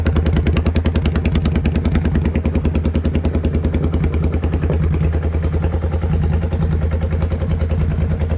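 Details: Motorcycle after velocity stacks and two shims were fitted, running very well after a test ride, with the deceleration pops now gone: steady, even idle with a firm regular beat and no misses, stumbles or pops; normal idle.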